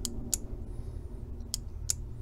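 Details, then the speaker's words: Aisin AW4 automatic transmission shift solenoid from a Jeep Comanche/Cherokee XJ, bench-tested with power to its clip and case ground: sharp, crisp clicks as the plunger moves mechanically each time. Working normally. "so obviously that one's good i can hear mechanical motion in there so that plunger is working"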